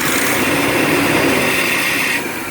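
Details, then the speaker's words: Vintage LH2 RV at low idle: an uneven, rough beat with a raspy top end that settles quieter near the end. The owner suspects an ignition fault. The idle is rough. "okay let's see what it does see what she does at a low idle there"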